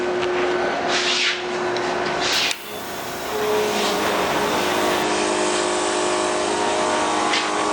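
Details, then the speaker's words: Vintage 1952 Flathead Ford, 274 build with four-inch stroke crank, H-beam rods, Scat rotating assembly, 3-5/16 bore, run test on engine stand: steady idle about 1000 rpm, oil pressure about 60 psi, busy mechanical clatter, no knocks; normal idle. "we're sitting here Island uh about a thousand RPM the oil pressure about 60 pounds"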